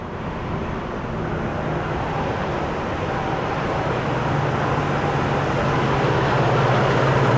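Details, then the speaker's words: 2001 Nissan Xterra 4WD, 158,000 miles, started with no issue on a battery taken from a boat, AC cold; steady low hum rising slightly outdoors, running evenly with no ticks or knocks, a normal idle. "I'm gonna start this thing up so we can hear what it sounds like. No issue starting up."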